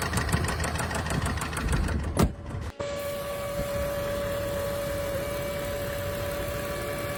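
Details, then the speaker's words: Jaguar petrol engine that started making an odd noise and smoking a bit: steady, deep knock about five times a second at idle; suspected rod knock needing a rebuild or replacement engine, not confirmed. "Unlucky for this customer, as you can hear, the Jaguar has what sounds like a rod knock and will need either a rebuild or a replacement engine put in it."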